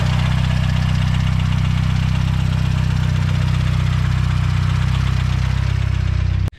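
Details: Fully built turbo Mazdaspeed 6 engine that failed: at idle a loud, deep, steady knock comes from low in the block, major rod knock, and an engine rebuild is planned.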